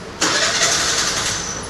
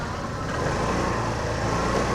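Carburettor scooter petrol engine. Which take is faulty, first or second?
first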